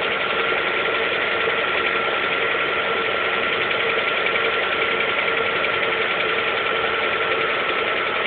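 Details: Lada Priora 2 with 21127 engine, 5000 km, cold idle: fast uneven light tapping, two or three taps a second, over steady engine hum; knock source unclear.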